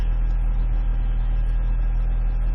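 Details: 2006 Ford Escape Hybrid, auction car that sat a while, restarted after no-start repair, running while checked for PCM calibration updates, 40-some degree day: steady, even low hum, no misses, knocks or surges; petrol engine idles smoothly.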